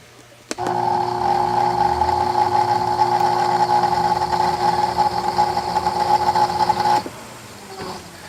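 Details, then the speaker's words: Porsche Boxster 986 radiator fan motor wired directly to power on its first-speed terminal: steady high whirr and smooth even hum with no rubbing or ticking; fan runs fine, while the second speed is dead from a bad resistor pack. "So if I go there, the fan's working like it should. You can hear it whizzing away."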